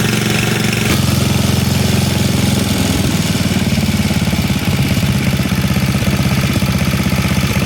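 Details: Tecumseh HMSK80 snow blower engine, fairly warm, throttled up, after fixing no-spark caused by the cover pressing the shut-off switch: catches and settles into a fast, steady, even chug with no misses.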